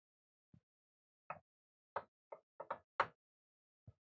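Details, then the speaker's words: Lotmaxx SC-10 Shark 3D printer with dual-gear extruder, struggling to push high plastic flow: sharp isolated pops at uneven spacing over near silence as the extruder skips. "we're still getting just a few skips and it's doing better but we're getting a few skips you can hear the audio input grabs them every skip it grabs it"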